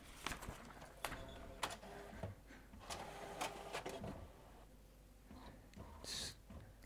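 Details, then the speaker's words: HP PhotoSmart C7280 all-in-one printing a self-test report after media sense sensor calibration fixed the Paper Mismatch/Calibration Error loop; intermittent whirs, clicks and carriage shuttles in short bursts, no grinding or jam clatter; normal printing. "see if we can get this to print this time sounds like this time it is doing the printing"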